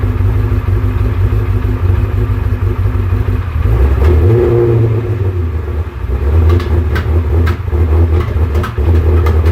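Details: Salvage Ferrari 360 V8 runs unevenly, its beat stumbling and dipping between throttle blips, misfiring because of false air, a vacuum leak.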